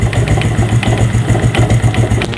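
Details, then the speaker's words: Yamaha Vega ZR motorcycle at idle, worse at idle than when revved: rough, lumpy clatter, suspected from the clutch housing, with worn dampers and a broken spring. "suara ngelotok ngelotok gitu ya jadi memang perkiraan Kami memang ini di kopling house"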